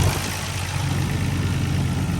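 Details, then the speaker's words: Nissan R32 GTR idling just after fitting a new OEM fuel filter replacing a non-OEM one; steady even low idle with no misses, knocks or hunting, idle about the same or slightly smoother; healthy engine. "And yeah, idle seems smoother. Well, I mean, about the same."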